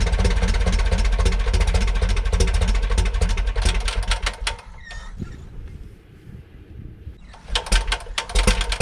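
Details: 1941 Piper J5 with a Continental C85 engine, after about 30 years dormant (last ran 1995), on day two with no primer, mags on both and throttle just above idle: low, even idle beat that dips briefly then recovers. It sounds healthy.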